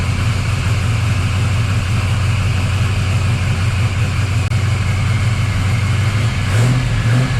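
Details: 1979 Camaro Z28 V8 after Pete Jackson gear drive swapped for Edelbrock double-roller timing chain, new balancer and water pump, running rich after days idle: deep even idle, lumpy exhaust, no gear whine; timing drive quiet.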